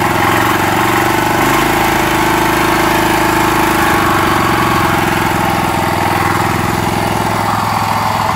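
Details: Honda GX390 13 HP single-cylinder rock crusher motor, just rebuilt, test run on a trailer: a loud, steady putter at a slightly fast idle (idle seemingly set a little high), even and unbroken with no knocks or misses; runs fine.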